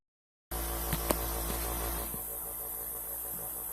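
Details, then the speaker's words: Small airbrush compressor set up for a posh H-series single-action airbrush, running normally: low, quiet, steady motor hum with no knocking or rattling. "that's it running right there notice how quiet it is can you hear me can you hear me yeah yeah that's just how quiet it is really neat"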